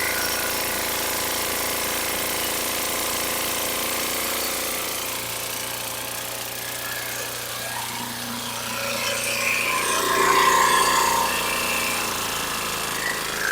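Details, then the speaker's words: Rough Honda or Troy-Bilt mower engine, possibly used commercially: loud irregular banging under the running note, about three to four a second, metal-on-metal; owner suspects connecting rod bearing, with heavy blow-by and possibly low compression. "so it sounds horrible I think this thing might have been used commercially it's just got a lot of banging connecting rod bearing Bang it just doesn't sound good"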